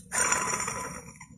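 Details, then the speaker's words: Removed water pump from a 2018 Chevrolet Beat/Spark 1.2 L, already leaking antifreeze, turned by hand with visible shaft play: a short thin squeal rises then fades within a second, from a worn water pump bearing; to be replaced with a new pump. "Bueno aquí está la bomba como les comenté tiene juego se ve cómo se mueve y también ahí se escucha claramente como chilla"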